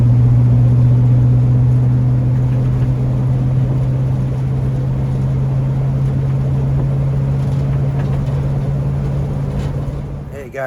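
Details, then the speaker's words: 1940 Ford Tudor on a drive after new eBay-kit tailpipes were fitted: smooth, even low drone, steady note, no popping or blowing; quieter, no more exhaust fumes. Normal running. "I felt like that was a huge Improvement I'm just going to keep driving it and see what I think of it but it's quieter no more exhaust fumes that's great"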